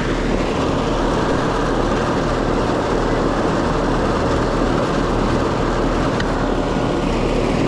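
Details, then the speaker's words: Residential air conditioner that stopped cooling: compressor started briefly, ran about 10 seconds, amps rose with an odd noise, then a heavy steady electrical hum drawing locked-rotor amps without turning; stuck compressor. "it did start there in the beginning but it didn't run but about like 10 seconds amp draws went up I could hear it making an odd noise and then it stopped and then it would just pull lock rotor ramps so I'm going to say stuck compressor on this one"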